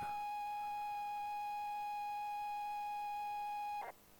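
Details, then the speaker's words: ZX Spectrum cassette tape, unknown contents: a steady single-pitch loading tone holds about four seconds then cuts off, sounding dull, possibly from dirt on the tape; muffled loading tone. "oh another i can hear there's a dullness in the sound that's like a dirt"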